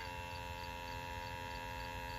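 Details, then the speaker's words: Toro Z-Master mower with Kohler EFI, suspected clogged injectors, after harness jiggling restored the electric fuel pump; constant even hum until pressure reaches 40 PSI then stops; electric fuel pump priming normally. "When it pressurizes to 40 PSI, it stops."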